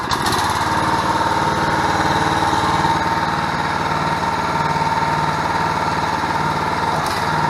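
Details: 6.5 hp gas engine driving a 13 gpm two-stage hydraulic pump (2000 psi, 7-gal tank) on a portable hydraulic power unit: steady single-cylinder run with even pump whine, no stumbles; normal running.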